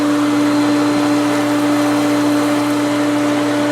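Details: Pool pump at pool opening, after priming, with a leaking fitting tightened: smooth, constant motor hum at one steady pitch with even water rush and no rattles, squeals or surging; it is running normally.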